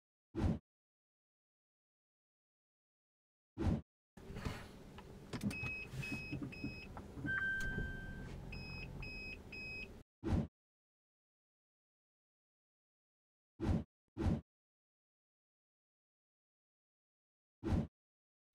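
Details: Pandora car security system: groups of three or four sharp high buzzer beeps in the interior; suspected warning of low immobiliser tag battery, not confirmed.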